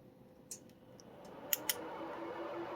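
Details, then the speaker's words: Evnetics Soliton 1 EV motor controller on bench power supply, suspected shorted IGBTs and failed gate driver: few faint sharp clicks, no hum following; precharge relay drops out, voltage reaching only about 0.4 V, controller fails to pre-charge. "See that little click, and it made it up to about a 0.4 volts or something. Well, the reason it's doing that is because this little relay is clicking on here."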